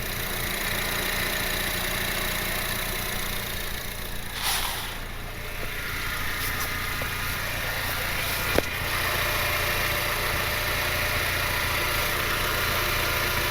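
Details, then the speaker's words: Honda Civic R18 turbo with open exhaust, just after first oil change, primed and started: steady, even idle with low rumble and no knocks, ticks or misses; normal idle, no leaks. "No leaks, no leaks. Exhaust nice and quiet."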